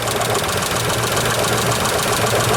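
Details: Isuzu Trooper V6 (head gaskets done months earlier) idling slightly lumpy and uneven; pulling each coil to check for an RPM drop, this cylinder shows a big change so it's healthy; one cylinder misfiring.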